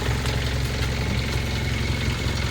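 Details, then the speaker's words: 2016 Hyundai Veloster Turbo DCT idling after front brake work: steady low idle with a fine buzzing rattle from a loosely fastened part vibrating, which needs tightening. "but I also have to tighten this up it might be hard to see but it's vibrating and you can hear it so I'm going to have to tighten that one"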